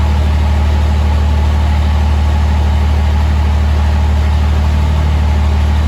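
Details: 2005 Cummins diesel build, first start after rebuild: steady, even low diesel rumble with a regular beat, no knocks or ticks; smooth healthy idle, good fuel pressure, check engine light (owner suspects MAP sensor).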